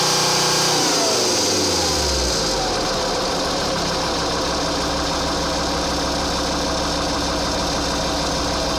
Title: strange noise 2,4 JTD